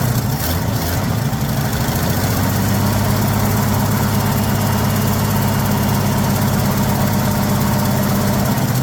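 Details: 1979 Ford F150 shortbed 4x4, 300 straight six with new carburetor, started after sitting 4 years: deep, slightly lumpy idle with a quick puffing tick on each firing pulse; owner says it clearly has an exhaust leak somewhere.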